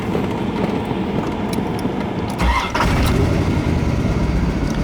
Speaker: As you can see, this engine cranks right up. This is the 300 horsepower LT1 engine. This engine's in great shape with no leaks or ticks or knocking.